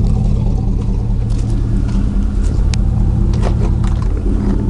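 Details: 2000 Chevy 4.8 V8 truck with four coils deliberately unplugged, revved lightly: lumpy, uneven, loping low rumble from running on only four cylinders.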